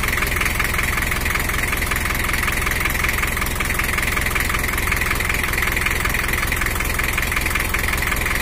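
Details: Engine of a 1984 Toyota HiAce LH11 diesel, after repair for overheating with coolant overflowing and a slightly rough engine sound, now set to standard settings: even, steady diesel clatter at idle with no misses, knocks or hunting; normal idle.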